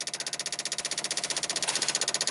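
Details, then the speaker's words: 1995 Dodge Ram 2500 V10, cold no-start: relays refitted, ASD and fuel pump relays chatter at about fifteen clicks per second with key on, engine off; 8V reference wire unclean, control pin pulled to ground as something warms up. "We'll put the relays back in here. Man, they are chattering away. ASD and fuel pump relay."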